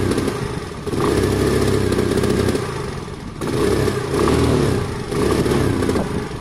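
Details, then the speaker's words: Sinnis Harrier 125cc during pre-MOT checks: idles fine, but revs rise in three surges with a rough muffled stumbling note instead of climbing cleanly; bogs and chokes itself, owner suspects fuel or air starvation. "Give it some revs. It's okay. Give it some more. It's choking itself."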